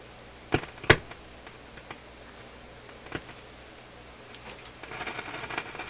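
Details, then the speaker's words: Nordmende console tube radio after FM tube replacement, sound distorted: sharp, irregular pops and crackles over a quiet hum while tuning, scratchy near the end; faulty pushbutton switch, cleaner did not help. "Getting a lot of popping. Let's put on the external antenna. Oh, it's this crazy button, which, oh, with a little bit of cleaner, and as you can see, no luck on that. So this is really the problem here that's got to be dealt with."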